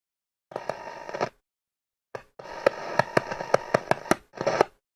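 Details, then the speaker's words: Hacker Autocrat RP33 radio with a scratchy fault: bursts of hiss broken by sharp irregular crackles as the tuning capacitor vanes are moved; plates touching at the top, shorting the tuning capacitor. "Yeah, it sounds like a tuning cap shorted right out. So if I just mess with the vanes a little bit."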